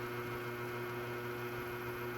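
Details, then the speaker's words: Scratch-built Hammond Leslie cabinet in a 16-space rack: steady motor hum with a fixed buzzy tone from the upper rotor, separate from the earlier noise issue; owner suspects the bearing of the upper rotor, acquired five to six years ago, needs oiling. "something I noticed from the video was there's a noise coming from the upper rotor you can hear that"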